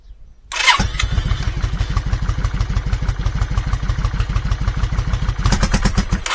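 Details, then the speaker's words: Yamaha Virago 535 V-twin started cold with no choke on a chilly day: catches quickly, then lumpy uneven idle, seems to run on one cylinder, misfires and won't rev until warm; carburettor issue suspected. "and this is what it's like just about every time until it warms up. Doesn't want to rev up. Starts okay-ish, doesn't want to rev up."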